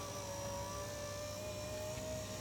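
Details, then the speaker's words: Ford Falcon FG power window after the fix, regulator cable pivots and window slides greased: the motor hums as one smooth, even whir with no squeal, then a soft stop at the top; normal operation. "all right in this video we're going to show you how to fix a squeaky for darkened window this one's been fixed"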